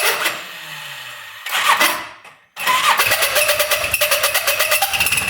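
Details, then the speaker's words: Odes Dominator 800cc UTV engine started up: cranks and catches, then runs with harsh high screech and rattly pulsing; owner believes it is the engine, not the clutch, and suspects connecting rods, to be checked by top-end teardown. "so hopefully you guys can hear that it's uh screeching pretty good I don't know what that would be from though It's gotta be the engine right because nothing really on the clutch moves"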